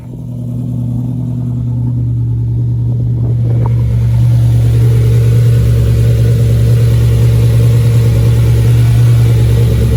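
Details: Lamborghini Murcielago V12 after roadside repair of a blown coolant line at the front of the engine: catches after a short crank, then a strong, even, deep run with steady revs and no knocks or misses.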